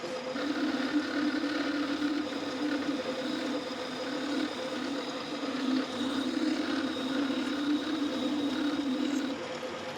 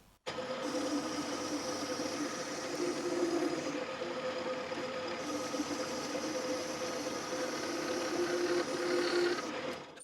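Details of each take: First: Boring the spindle body bearing bore for a Quorn Mk3 tool grinder with a 1/4 inch boring bar bent at a right angle: continuous wavering upper-midrange buzzing squeal; mild chatter, enough to spoil the bearing surface. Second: Boring the spindle body bearing bore for a Quorn Mk3 tool grinder kit with a straight 1/4 inch boring bar replacing a bent one that chattered: steady even cutting hiss, faint ring, no chatter; swarf coming off nicer, smooth cut.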